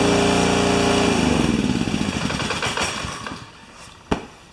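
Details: New Honda single-cylinder engine for a pressure washer, run clamped to a chair with choke: brisk, even steady beat, then coasts down smoothly at shutoff; sounds healthy, normal running.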